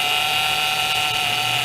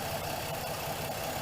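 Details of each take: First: 2007 Pontiac G6 after replacing the leaking high-pressure power steering hose between rack and pump, fluid not low but foamy: steady high whine over the idling engine; air in the fluid making the power steering pump moan. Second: 2007 Pontiac G6 after high-pressure power steering hose replacement and bleeding: steady, even idle with no whine or groan from the pump; air is purged and the pump runs quiet and healthy.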